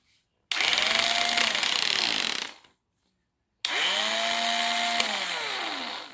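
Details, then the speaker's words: Makita 8400D 9.6V cordless hammer drill, after cleaning corroded push-switch contacts, running on its original NiCd battery: two clean bursts of motor whine rising to a steady high pitch and winding down smoothly on release; normal running, drill fixed. "And I am pleased that the nickel cadmium battery appears to still work."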